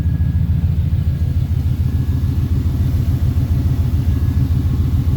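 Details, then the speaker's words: 1977 Pontiac Formula Firebird, parked since 2007, being jump-started: heavy, slow, labored cranking at about three beats a second, never catching; plugs will be pulled, cylinders lubricated and spark checked. Cause not confirmed. "It's a little better, but it's still cranking pretty hard, so we're gonna go ahead and pull the plugs, lubricate the cylinders, and then while have the plugs out, we're gonna check for spark."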